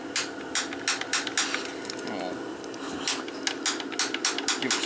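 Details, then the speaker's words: 50-gallon gas water heater not heating; its manual-reset safety had tripped and the pilot was out, common after a power loss. Set to pilot, the piezo igniter gives a run of crisp, uneven clicks, about a dozen in five seconds, as it relights the pilot. "Yeah, all you're going to do is, you're not going to get shocked or nothing. So you got to put this to pilot."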